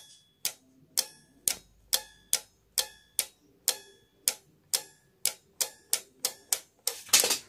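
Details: Relay added to a Honda Blade motorcycle headlight circuit as anti-flicker fix, tested with the headlight on: crisp even clicks about twice a second, nothing else behind them; relay switching cleanly and working properly.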